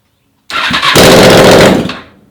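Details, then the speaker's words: 2004 Honda VFR800 V4 under CBR hybrid build, after an aftermarket fuel pump motor fit and no-start traced to bike left in gear: brief starter whirr, instant catch, loud raw roar with no exhaust fitted. Normal engine start. "i cannot stand electrical problems i'm terrible with them but she fires up so now we can focus on the next mission"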